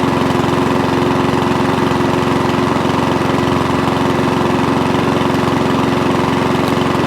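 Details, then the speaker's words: Mountfield 414 mower single-cylinder engine after fuel delivery fix, previously surging: even steady beat, constant speed, no hunting; starts from cold, normal steady running. "so now it runs start stops fires from cold because we're getting the right amount of fuel through beautiful job"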